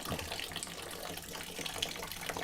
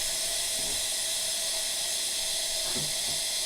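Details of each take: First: A.O. Smith water heater, fully hooked up and topped off, hot outlet hose aimed at a bucket: only a thin quiet trickle instead of a full gush despite good supply pressure; the outlet is choked, and the manufacturer refused a warranty return. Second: A.O. Smith water heater being refilled: steady even hiss with no knocking or gurgle as trapped air escapes the line; the tank is not yet full but close to full.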